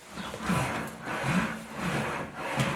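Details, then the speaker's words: Home-built English wheel, panel worked back and forth with flat-topped bottom wheels: low rolling rumble swelling about every three quarters of a second, the right sound for correct wheel pressure. "you're the pressure I have on air with the with the wheels kind of making a the right kind of sound you'll hear the right sound what's happening"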